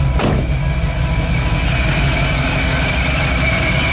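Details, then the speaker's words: Stock mild V8 after MSD/Holley dual-sync distributor swapped for HEI, timing at 15°; deep steady rumble with even beat, no misses or ticking; normal idle. "it's running really good it might be hard to see but I'm running at 15° [Music] timing so far so good"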